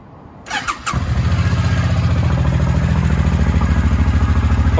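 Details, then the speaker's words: Suzuki Boulevard C50 Volusia 800 V-twin, cold start on choke: short crank, fires straight up and settles to a strong, even loping idle with no misses; earlier poor running was simply low fuel. "right up we'll let it warm up and take the choke off and see how she idles Oh how about that hers she just purrs like a little kitten"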